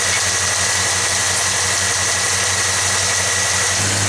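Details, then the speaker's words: Truck engine idling with plug wire removed from one cylinder; steady low stumble, one beat missing per cycle. Spraying water on each exhaust tube shows it: the cold one that doesn't steam is the dead cylinder. Dead cylinder misfire at idle. "you do is you simply spray each tube, and the one that doesn't steam and water stays on, basically the one that's not hot, is the one that has a problem."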